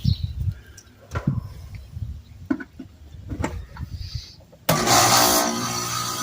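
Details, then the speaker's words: HVAC condenser compressor starting with steady low hum and fan rush after loose disconnected control wires were reconnected; normal start, unit fixed. "Hear that noise? That's a compression."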